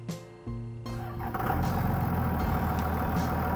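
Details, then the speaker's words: High-mileage 2001 Dodge Cummins diesel after replacing the squealing alternator: engine catches after a brief crank and settles into an even diesel rumble with no belt squeal; sounds a lot better, normal running. "sounds a lot better."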